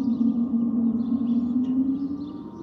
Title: Delta Airlines Airbus A319-114 N330NB DL720 SYR-DTW (FOPP whistling sound)